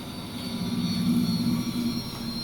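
Heavy droning rumble that swells and fades over a couple of seconds, like a hard spin; the cause is unclear.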